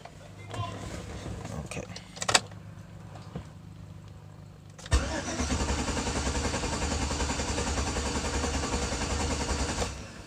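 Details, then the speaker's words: 2006 Chevrolet Avalanche with a suspected single-cylinder misfire, code pointing to cylinder 8, cranking in clear-flood mode: five seconds of steady, even cranking with no uneven compression beats, so compression sounds even. "so it sounds good it doesn't sound like it's on a low compression or anything like that"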